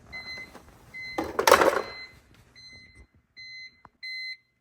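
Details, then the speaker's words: BMW E46 325xi with M54 engine, key removed: high clean beeps in repeating on-off bursts, some handling noise; endless ignition chime caused by EWS3 immobilizer module fault, also causing crank-no-start and unprogrammable keys. "I forgot how annoying the beeping is I'm losing my mind already and it's only been a minute"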